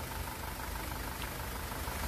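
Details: 2018 SsangYong Rexton Sports diesel, 119,174 km, after engine rebuild (broken crankshaft cap bolt had holed block, melted No.1 piston; crank, pistons, bearings replaced): low steady smooth idle, no vibration or knocking, soft rumble, engine healthy.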